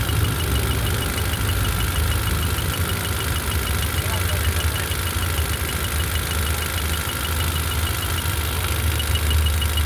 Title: Honda city issue misfire